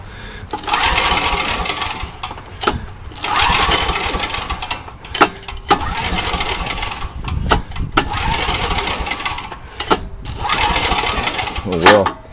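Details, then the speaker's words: Old Coleman generator with Vanguard engine, carburetor gummed by ethanol gas, fuel leaking from bottom: engine speed swells and sags about every two and a half seconds; surging from a flooding carburetor. "nning out well you can tell her we can flooding going on there that's why it's been surging"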